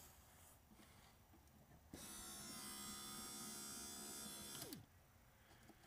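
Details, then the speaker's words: 1990 Pontiac Firebird rear hatch pull-down motor after reversing switch and motor replacement and housing repair: small motor whines evenly about three seconds, catch flips with a click, pitch falls; normal, healthy pull-down operation. "And as it goes down, it's going to flip. You hear the click? Now it's going to come back up."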